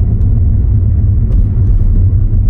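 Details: Toyota Auris test drive after fitting a second-hand gearbox and changing the gear oil: only a smooth, low road rumble with no scraping or grinding, unlike before; the gearbox sounds healthy.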